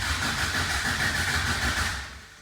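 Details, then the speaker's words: 1980 Toyota pickup rat rod, 20R carbureted engine, first start: starter cranks evenly but engine never catches; no fuel yet in the fuel filter; crank, no start from no fuel. "d'accord, nous n'avons pas encore d'essence dans le filtre à carburant"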